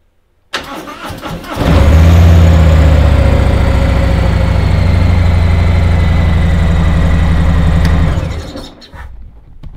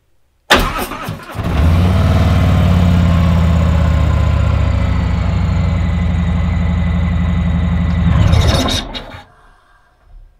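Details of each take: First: 2019 Harley-Davidson Tri Glide, battery at 12.4 V after sitting several days with alarm drain: the starter turns over sluggishly for about a second before the engine catches and idles; weak battery. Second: 2019 Harley-Davidson Tri Glide just after a new battery install, little over 12 volts: brief crank, engine catches at once and settles into a strong, even idle before switching off; healthy start.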